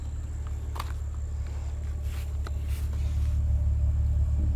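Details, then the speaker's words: 2004 BMW X3 3.0 six-cylinder, about 152k on the dash, after $800 of repairs (flaps, other pieces) that cured a rough idle, emissions passed: low, steady, even hum with no misses or stumbles, purring; normal idle. "Listen to her. She's just purring like a kitten."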